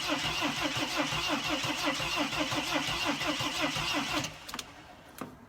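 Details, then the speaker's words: Mercedes Sprinter no-start, cranked with mass air flow sensor disconnected: steady starter whirr about three beats a second for four seconds, engine never catches; cranking sounds a little different than before; cause unconfirmed. "so nothing's happening but the way it's starting it sounds to me like it's a little bit different than it was before"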